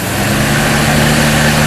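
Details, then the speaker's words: Carbureted engine after air cleaner vacuum leak fixed by tightening hardware: steady even idle with firm low rumble, no misses; vacuum sound gone, needs choke to start. "This thing runs smooth now. I just have to choke it and give it a couple tries to start it."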